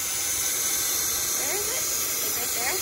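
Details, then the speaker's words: 1989 Crown Super Coach bus at idle; loud, steady, unbroken high hiss of compressed air escaping from the line feeding the shutoff cylinder near the Skinner valve, cause not found by the mechanic: air line leak. "well you can hear it leaking right that's what's leaked back here leaking in that exhaust board"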